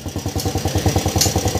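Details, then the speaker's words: Single-cylinder motorcycle that had misfiring, hard starting and no idle, now starting on one crank: quick, even idle with no pops, backfires or missed strokes; carbon caught at the valve is suspected as a backfire cause. "saka hindi na nag-backfire may patayin muna natin"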